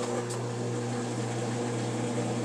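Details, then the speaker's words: Frigidaire washing machine after repair that cleared a sock clogging the drain pump intake and cleaned dirty electrical connectors: steady, even low pump hum with no catching or labouring as it drains; normal draining, back in business. "It's draining. Woohoo! Alright, back in business."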